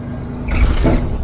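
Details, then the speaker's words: 1967 VW Type 3 Squareback driven on road, lowered front suspension super stiff and bouncy; hard thump over bump then squeak, mainly passenger-side front, lower arms riding metal on metal against bump stop arms (bump stops previously removed). "But you'll see in a second that the suspension's super stiff. Anytime I hit a bump, it'll pretty much bounce and you'll hear a squeak."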